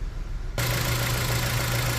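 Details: Dodge Journey idling with P0301 cylinder 1 misfire: low steady drone with faintly uneven beat, engine visibly shaking; swapping coils confirmed a bad ignition coil.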